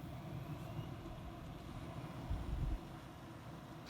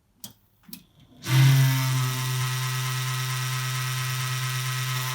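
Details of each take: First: Computer power supply fan after owner disassembly, dust cleaning and cable tidying (previously hummed and rattled): soft, steady low hum with no rattle or buzz, running well and quietly. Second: Desktop PC power supply fan switched on: loud steady low hum with airy hiss, owner reports rattling and groaning; dry, dusty sleeve bearing, before cleaning and lubrication.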